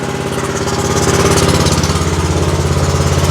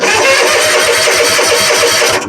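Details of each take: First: Exmark zero-turn mower with Kawasaki twin, hard to start with low power: lumpy idle with an uneven chuff about three times a second as one cylinder misfires; causes were a fouled bad spark plug and a sticking choke. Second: Exmark zero-turn mower with a Kawasaki twin, previously hard to start and running on one cylinder, after fitting new BPR 4-8 plugs to replace a plug with too wide a gap, started with a little choke: catches immediately and settles into a quick, even firing beat; starting normally.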